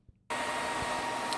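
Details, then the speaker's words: PlayStation 3 after thermal paste reapplied (Arctic Silver 5): the fan jumps to a loud, steady hair-dryer roar before a game loads, with flashing green/red light and a "system has become hot" warning. Overheating fan at full speed. "so before i could even get the game in it became the fan came on and now i got the flashing green red and it even gave me a warning which went away but it said the system has become hot"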